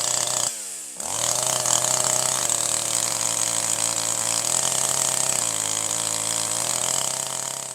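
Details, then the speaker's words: Older piston-ported chainsaw without electronic control, at full throttle with the high-speed (H) screw backed far out: screams but wavers and burbles unevenly; far too much fuel through the main jet, rich high-speed mixture four-stroking. "The high-speed screw is way too rich. There's too much fuel coming in to the center high-speed jet, the main jet."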